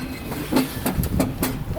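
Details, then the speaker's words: Mercedes CLS 550 with engine off, ignition on and in neutral, being pushed: a few heavy, irregular binding clunks, then it frees up; something underneath is loose or detached, and an axle or shaft problem is suspected, not confirmed. "bro something's apart it's an axle it's actually something's not attached there it freed up"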